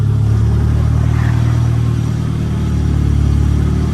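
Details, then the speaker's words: Nissan S15 after gearbox upgrade, running on the lift in first gear: steady, even low engine drone, no knocks or whine; gearbox sounds healthy. "We're in first gear, we have gears!"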